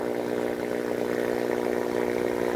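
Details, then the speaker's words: Corona discharge on an energized high-voltage lab transmission-line conductor at about 63 kV RMS: steady frying hiss with mains-rate buzz, audible to the ear without detection equipment, also picked up as radio interference noise. "this noise you can hear now is basically an audible noise which is without any detection your human ear it can easily detect this noise this Corona discharges from the transmission line"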